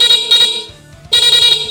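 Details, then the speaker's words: Honda motorcycle rewiring: newly wired horn (pink from Vixion switch holder, black ground, soldered) tested with ignition on; two short, loud, clear high-pitched blasts with clean starts and stops; horn working normally. "Habis itu kita coba kontak, kita on kan ya, terus kita pencet klaksonnya. Oh, kencang sobat"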